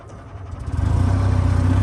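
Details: EZGO TXT gas golf cart, small single, after wiring repair: cranks briefly, catches cleanly and settles into a steady, even putter with no misses; normal start and idle.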